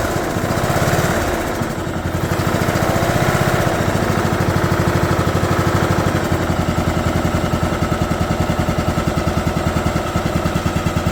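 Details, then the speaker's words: 2011 John Deere D110 mower, engine reassembled from boxed parts, restarted off choke, throttle cable not hooked up, expected to smoke: single-cylinder putter settles smoothly after startup into steady even beat, no knocking or misfire; runs good. "Wow, runs good. Gotta be happy with that."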